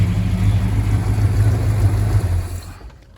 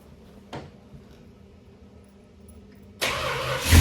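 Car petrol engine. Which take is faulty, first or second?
second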